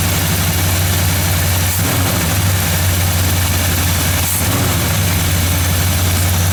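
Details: 1978 Chevy K30 Scottsdale 350ci V8, first start in 4 years after sitting, alternator charging 15 volts; deep steady burble with even beat, no misfires or knocks. Normal idle.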